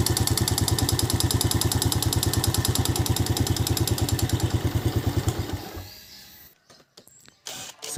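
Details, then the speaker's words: Yamaha New Jupiter Z engine before repair: a fast, even clatter over a very rough, lumpy idle, then shut off. The mechanic suspects a worn piston, and on teardown the cam chain was found slack and is being replaced. "Seperti yang udah kita dengarkan, bahwa suara mesin motor ini sangat kasar sekali. Maka saya lakukan pembongkaran pada mesin motor ini, dan menurut analisa saya, bunyi seperti itu biasanya adalah bunyi piston yang udah aus. Dan kelihatan rantai ketengnya juga udah kendor, maka sekalian kita ganti."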